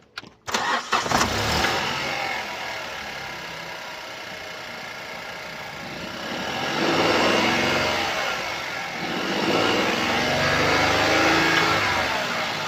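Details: 2017 Opel Astra K, 1.4 L petrol (B10XFL, 77 kW/105 PS), 90,859 km: starts and settles to idle with a light metallic rattle that flares on revs, caused by a stretched timing chain.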